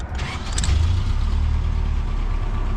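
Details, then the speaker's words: Toyota 4Runner 1st gen with 22RE engine and 5-speed, after full engine rebuild and exhaust welded up to quiet it: engine fires and settles into a deep, steady, quiet idle with no exhaust rasp or ticking; normal idle. "Oh, look at that. You can hear me, it's not so loud. Nah. I like this thing a lot more already."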